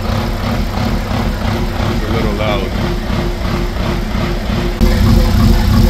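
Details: B58-swapped BMW E24 with SCS Delta standalone ECU, straight downpipe, first start: loud engine running unevenly with a choppy beat and steady drone; rough running, cause not yet pinned down, separate transmission noise also present.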